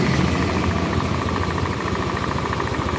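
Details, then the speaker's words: Old Honda Beat carbureted scooter, brought in for rough noise and oil-burning smoke, after valve seals and rings were replaced: loose knocking at low idle, about three beats a second, fading in and out; mechanic attributes it to the connecting rod and its bearing. "otok-otok ini adalah suara stang ya ini mending lebih baik Kalau kemarin ya otak-otok ya karena pistonnya longgar"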